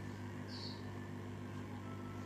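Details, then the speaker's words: 5.1 amplifier, converted from manual to remote-cut, switched on with no signal gives a quiet, steady low hum with a faint buzzy edge; ground/earth noise, about 90% cured but a slight hum remains. "இதுல ஒரு சின்னதா ஒரு earth noise இருக்கு full and full வந்து பார்த்தீங்கன்னா ஒரு 90% arrest பண்ணிட்டேன்"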